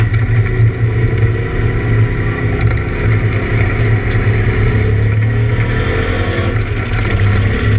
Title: ABR Camaro the misfire laps